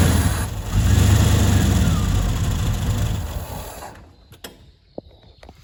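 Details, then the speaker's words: 1991/92 Ford F150 that had sat neglected, no-start: on starter fluid it catches and runs roughly for about three seconds, then dies. Spark is good; fuel starvation, with no pressure at the rail test port from the electric fuel pump. "All right, so yeah, I have spark. It's a fuel issue. That's what I figured."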